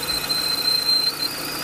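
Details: Renault Clio / Nissan Platina: a thin, steady high-pitched squeal over the engine that drops out briefly. It appeared after an hour of driving. The cause was a failing water pump bearing in an aftermarket Cartec pump fitted 10 months earlier with the timing belt.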